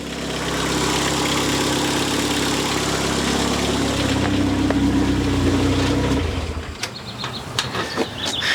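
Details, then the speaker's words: Car's first start after a head gasket change: it fires and holds a steady, smooth idle about six seconds with no knock or misfire, then shuts off. Normal idle, though a split fuel hose was leaking. "okay Moment of Truth time to see what I forgot this time all right fired up like normal sounds"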